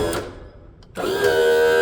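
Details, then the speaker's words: Mercury 60hp four-stroke outboard power trim/tilt, low on fluid after 2.5 years, raised after topping up; short stall then pump whines up and runs steady. Slow start from air still in hydraulic system. "Now that took a little bit of an oomph to get going."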